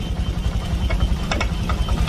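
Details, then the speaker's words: Honda Vario Techno 125 injection, stalling, poor response, coolant loss: deep uneven thumping idle that stumbles and lurches, noisy, fuel pump pressure about 20 PSI running; rough idle from low fuel pump pressure. "Cuma di angka 20 PSI saat kondisi motor menyala, mesin menyala. Tuh. Berisik."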